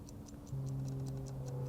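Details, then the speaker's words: Vintage Howard Miller ship's bells clock after repair, just wound: crisp, even ticks about five a second with no skipped beats; previously it missed beats and stopped. Now running smoothly and accurately. "wow that's sounds really good it sounds real smooth um before I would hear it kind of like Miss A Beat and then it would stop so it's running it looks real accurate"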